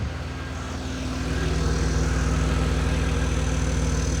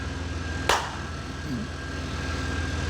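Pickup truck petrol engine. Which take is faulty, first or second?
first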